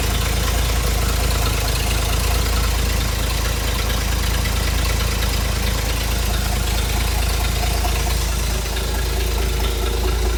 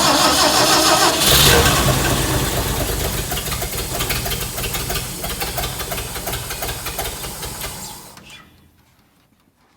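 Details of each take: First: Hobart APU cart with a Ford inline-six petrol engine, sat 8+ years, new battery and fuel line: deep, steady low rumble at even idle with regular firing pulses, no knocks or misses; normal running. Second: Hobart APU cart with a Ford inline six, sat 8+ years, with fuel poured into the carburettor and choke set: it catches and pops about three times a second, then dies within eight seconds. Fuel starvation.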